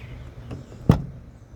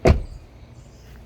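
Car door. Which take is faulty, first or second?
first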